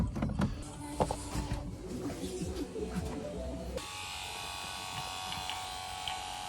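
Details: Ford Sierra RS Cosworth 3-door, rebuilt ABS master cylinder from spare parts, fresh fluid, key on: after some clatter, the ABS pump motor whines steadily and runs on; pump not reaching pressure, pressure switch suspected blown.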